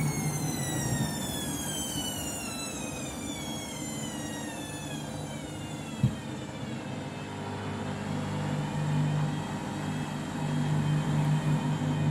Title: Washing Machine Final Rinse and Spin Very Noisy